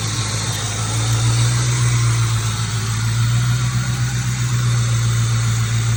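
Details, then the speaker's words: 1996–1998 Ford Mustang GT V8 after Dragon Fire coil pack and plug wire install, cylinder 4 misfire code cleared: deep steady burble with even pulses, extremely smooth idle, no skip. "Drop this screw down there. The idle is extremely smooth, as you can hear."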